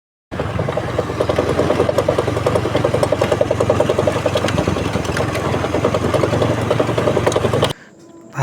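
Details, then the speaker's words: Motorcycle being ridden with an uneven, repeated "koplak" clunking, about three knocks a second, traced to a worn bearing that needs replacing. "Pantes tadi suara koplak koplak koplak koplak. Ternyata dari sini."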